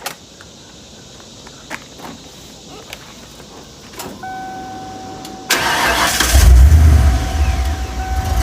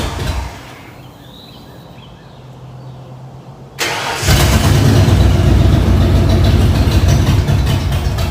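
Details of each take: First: Ford 302 V8 after an engine swap, restarted after its rough-running fault was sorted out: quick crank, then it catches and settles into a deep, steady, healthy rumble. Normal start and idle. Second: 1994 Ford F-150 after swap to rebuilt 302 V8 with new injectors, first start: quiet, then catches and runs rough and lumpy, stumbling about four beats a second; misfire from plug wires in wrong firing order.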